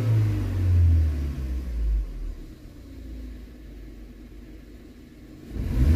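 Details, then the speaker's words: BMW 116i, warm, after a fix for stumbling and misfires at about 4000 rpm: deep even rumble rising cleanly and settling with no hesitation; throttle response quicker and far fewer idle dips than before. "sehr flüssig und nicht mehr so viele Einbrüche vorher hatten wir wesentlich mehr Einbrüche im Leerlauf"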